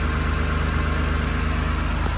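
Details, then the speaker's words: 2001 Toyota Supra RZ factory twin turbo, automatic-to-manual swap, hood open: smooth, even low idle with a deep steady hum, no belt squeal or ticking; street-legal muffler, factory midpipe; engine runs healthy, well cared for. "out of the ordinary no no belts or squealing the previous customer took really good care of this car"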